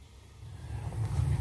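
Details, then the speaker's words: Gas boiler built November 2008, relit after a no-heat call caused by the pilot going out: the damper opens, the gas valve clicks, and a low rumble swells into an even, steady burner roar. Normal ignition. "once the damper is opened that's fully opening we'll hear the click of the gas valve and we'll have ignition and just like that Houston we have ignition"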